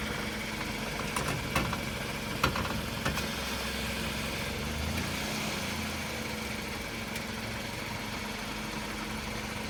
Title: Noise when turning wheels 2